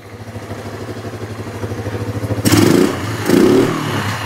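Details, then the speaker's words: Kawasaki Bayou 300 single-cylinder with an aftermarket carburetor: uneven loping idle with swelling and fading pulses, then two quick rev blips; rough running that improves once warm. "it ain't running good but it's running all right let's try about the best it's gonna get with that aftermarket car brother"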